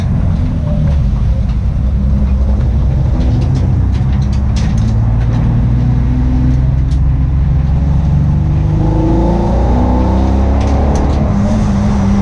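Engine revs up and down with a rough, uneven note under load; sounds like a misfire, cause not clear.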